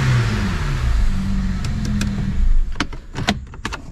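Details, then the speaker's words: BMW E90 335i N54 six, warm with oil at temperature after oil filter housing gasket and thermostat repair: one smooth rev winding up and settling cleanly, no knocks, ticks or rattles, a few clicks after; no weird noises, responsive. "Not too many weird noises. In fact, I'd say no weird noises at all. It's quite responsive, to be fair."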